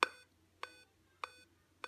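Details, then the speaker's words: Dell laptop at power-on with the adapter connected, lights blinking: four short, evenly spaced beeps, a startup code that is 99% a RAM fault; no display. "Arkadaşlar Dell marka notebooklarda 4 tane kısa bip sesi duyuyorsanız bu sorun %99 RAM ile ilgilidir."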